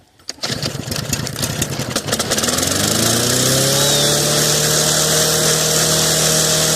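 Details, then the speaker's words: 2007 Snapper self-propelled mower, hard to start, carburettor primed: a few rough coughing pulls, then it catches and settles into a steady, even run. "awesome didn't want to go but we got her going"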